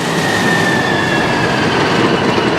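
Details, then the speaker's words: Model 34 brush engine auxiliary pump in pressure mode, preset governing discharge to 100 psi; tank fill opened drops pressure: loud steady roar with whine as engine picks up RPM to compensate; normal governor response. "If I open the tank fill and it drops pressure, you hear it pick up RPMs because it's trying to compensate."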